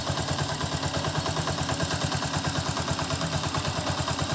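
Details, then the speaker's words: Honda TMX 125 warmed up, idling after setting the valve clearance to the standard 0.08 mm. An even idle with a light, regular top-end tick, which is minimal, normal valve clatter that gets louder as the head heats. "yung tunog niya is nagkameron siya ng minimal na lagati so 0.08 Okay lang siya Normal lang siya sa t kasi yun yung standard niya"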